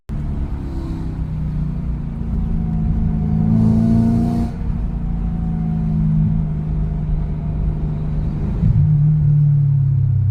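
A loud, deep engine rumble under way, rising with the revs, typical of a leaking exhaust.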